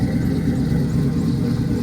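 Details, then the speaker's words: V8 with a freshly installed rebuilt 700 double-pumper carburetor: deep, even low rumble with no misses, taps or surging; normal idle. "Drop of G. It sound good too. Sound good."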